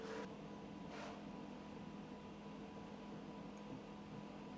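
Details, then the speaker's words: PC water-cooling pump turned down to about 40% speed to cure vibration: soft steady hum with a few fixed low tones, no rattle or buzzing, maybe slightly louder than before; normal pump hum. "we were actually able to turn down the speeds on the pump all the way down to I think it's at 40%. And now it's it's just humming. It's humming. It might be slightly louder than before."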